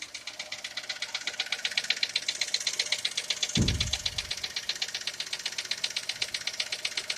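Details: Skoda Fabia engine knock, cause being sought: sharp, even metallic ticking about two and a half per second over a steady idle, from inside the engine.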